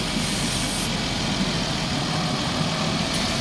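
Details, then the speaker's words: Chrysler Town and Country just restarted after head gasket replacement: steady idle with a faint airy hiss from a kinked vacuum hose, a small vacuum leak unsettling the idle. "You can hear like a little vacuum leak going on. But yeah, I'm gonna go ahead and take care of the vacuum leak."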